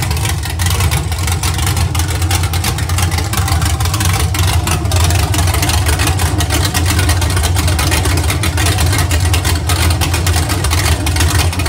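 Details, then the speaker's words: Iron 5.3L LS LM7 V8 (believed 2002–2003, mileage unknown) on a run stand with open headers, supposedly a BTR Stage 2 truck cam: deep steady slightly loping idle, even firing, no knocks or ticks; lope clears with RPM, healthy. "yeah you can see the L basically totally goes away as soon as you give it any RPM but sounds pretty good and it's really not that loud"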